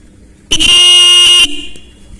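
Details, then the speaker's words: Bike horn bench-tested straight across its two terminals gives a steady loud buzzy blast of about a second that sounds thick and deep; the adjusting screw will be tightened to thin the tone. "देख सकते हैं आवाज़ थोड़ा मोटा है, तो थोड़ा इसको हम पतला करेंगे आवाज़, थोड़ा सा इस स्क्रू को हम टाइट करेंगे और फिर चेक करते हैं।"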